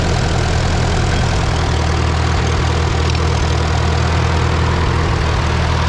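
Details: Farmall B tractor after radiator, governor, gasket and alternator belt work, warm day: steady low-pitched idle, even beat about four per second, no ticking, after alternator bracket moved up so fins stopped ticking; runs smoothly.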